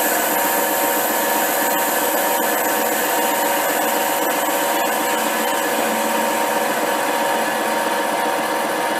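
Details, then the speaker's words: HiTorque 5100 7x16 mini lathe facing steel with spindle speed back up and a shallower cut; steady even cutting hiss with no rattle or squeal, a clean smooth facing cut without chatter. "Well, that's not too bad. Um, it's actually feels quite smooth."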